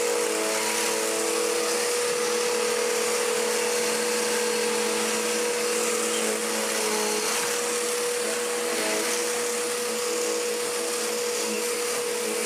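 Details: Dirt Devil DD6114 upright vacuum (Electrolux Contour clone), mid-1990s budget model, after restoration, running on low setting: steady high motor whine with even airflow rush, no rattles or speed changes; works fine but mediocre, hose leaks somewhat.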